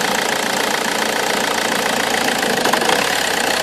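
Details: Omega 2.2 DTI turbo diesel, stone cold: lumpy, uneven idle with smoke when vacuum is applied to the wastegate actuator, but fine without vacuum and sorting itself out when warm. A crack near the wastegate is suspected.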